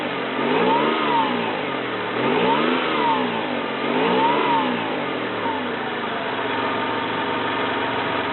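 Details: 1993 Toyota Camry, 206k miles, automatic: three smooth rev swells rise and fall cleanly, then settle to a steady even idle; no knocks or misses, runs smooth.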